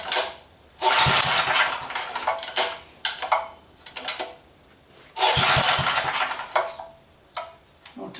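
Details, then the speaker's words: Rototiller engine in a mini four-wheeler, after carburetor cleaning, started by pull cord: brief sputters that die within a second each time; engine dies because the fuel tank ran empty. "me I'm out of gas again yep I am"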